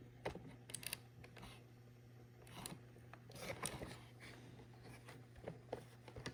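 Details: Launch edition Ecovacs Deebot X1 robot vacuum: steady low motor hum with loud irregular clicking, rasping ratchet-like bursts when motor runs, brushes and mop pads removed and cleaned, cause unknown.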